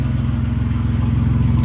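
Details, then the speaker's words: Engine idling after lower intake manifold gasket replacement, resonator cut out: smooth, even idle with a steady low pulse and no skipping, misses or stumbles since the gaskets were replaced. "there's no skipping since I replaced those gaskets"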